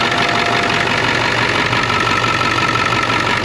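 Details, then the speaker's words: 2001 International 4700 plow truck, 36,000 lb gross, diesel: even, steady idle clatter with no knocks or misses; sounds really good, normal idle. "Looking at the diesel engine in here. Sounds really good."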